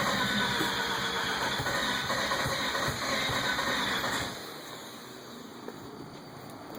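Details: 1990 Mazda RX-7 S5 turbo II, 1000cc secondary injectors, stock turbo, 9.7 compression, Microsquirt V3 firmware 3.2.5: steady starter churn for four seconds, never fires, fuel pump on; crank no start.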